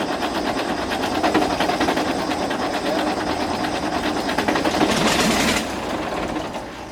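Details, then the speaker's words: Galion T500 motor grader diesel that sat about 14 years since 2007, first start attempt: steady starter churn at about three turns a second with no firing. The fuel had been left shut off after removing the pump the day before. "Alright, so I just remembered I had shut the fuel off yesterday when we were taking the pump off, so I didn't have the fuel on right there, but it really sounded like it was going to fire off there"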